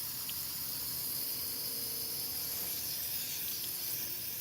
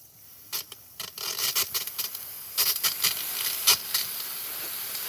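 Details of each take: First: Water heater burner: steady high hiss of gas with no flame catching; gas flows but the burner won't light. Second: Water heater hot water at the tap: steady hiss of rushing water with sputtering spits, water hot and flowing freely though containing deposits; burners not going full blast, one burner won't shut fully off; normal hot water flow.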